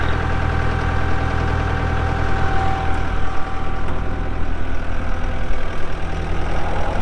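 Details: 2012 Kubota M8560 85HP 4WD cab tractor with loader, only 381 hours: deep, steady diesel rumble at an even idle with no knocks or misses; normal, smooth-running idle.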